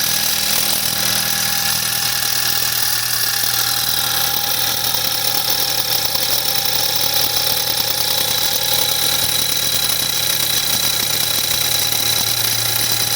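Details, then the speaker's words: 2014 BMW 320i (F30, N20 turbo) on a cold start, showing a drivetrain malfunction warning: a busy, tinny metallic rattle over the idle from the loose turbo wastegate, lessening as the engine warms; turbo rebuild planned. "After about a minute, it should close. Now it's warming up and starting to rattle less."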